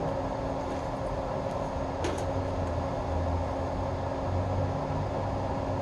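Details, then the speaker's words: Webb Whacheon lathe on a phase converter in high gear, fastest 200 rpm setting, less starting load: steady constant-pitch electric hum over a smooth even run; started up nicely, sounds healthy. "must have less starting load when you do that that started up real nice and sounded really good"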